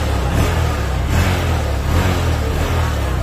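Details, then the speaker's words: Honda Verza motorcycle after the idle adjuster was set, without a diagnostic tool: a low, even engine note with a light throttle blip and a steady return to idle, no stumble or misfire; a normal rev and idle. "ringan guys enak stasioner juga"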